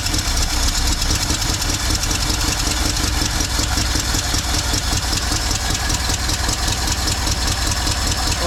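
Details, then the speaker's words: 1964 Mercury with a 390 FE big-block V8: idle is uneven, the beat stumbling irregularly as if dropping a cylinder; feels like a miss, cause unknown, rough running misfire. "don't necessarily like that it sounds like he's missing I'm going to cut it all right guys it is the next day um so the engine was running a little rough uh felt like it had a Miss yesterday"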